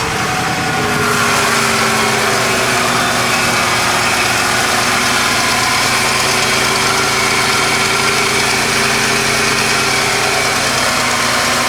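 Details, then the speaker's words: 1995 Ford 5.8 liter V8 after replacing the EGR exhaust tube, which before sounded loud and ticky like a bad exhaust leak: steady, even idle with smooth low rumble, no ticking or puffing; normal idle after repair. "shoot a video before handy your how it sounded it sounded loud and picky and like a bad exhaust leak that sounds good"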